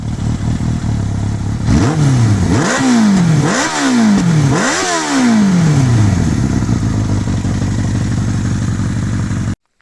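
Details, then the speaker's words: Suzuki 750 GSX-F 1990s four-cylinder motorcycle, warmed up after a few kilometres; hard cold start and owner suspects carbs need synchronising: four quick throttle blips rising and falling cleanly, then a steady even idle; healthy four-cylinder. "Donc comme tu peux le voir le bruit est plutôt sympathique pour une vieille bécane comme ça. Donc c'est un 4 cylindres hein, donc c'est un bruit typique de 4 cylindres des années 90."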